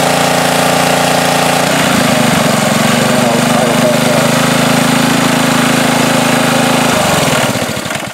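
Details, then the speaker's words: Ryobi pressure washer with Honda engine after off-season no-start, carburetor cleaned, no parts: water hooked up, engine holds steady speed as pump load comes on and off, no misses or surging; runs good. "so i hook the water up and things seem to be running fine now"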